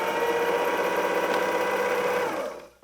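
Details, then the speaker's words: Vintage Pfaff 260 sewing machine running at full speed: fast, even whirring chatter of about four stitches per second, smooth and steady before spinning down; healthy machine that prefers to sew fast. "denn die wird irgendwann streiten das würde heißen unsere Maschine möchte am liebsten schnell nähen"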